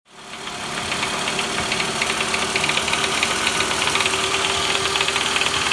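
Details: 2009 Toyota Vellfire ANH25W 24Z, 2AZ-FE, 142,078 km, engine noise unchanged after timing chain replacement: idle with rapid, somewhat irregular knock over running noise; noise disappeared with balance shaft removed, so balance shaft is the cause.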